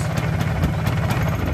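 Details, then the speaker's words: Vespa Super 150 scooter idling with clutch pulled, pre-touring bearing check: low, even putter with no grinding or clatter from the bearings; smooth, healthy engine. "Kalau kita tarik koplingnya, nah bunyinya juga halus."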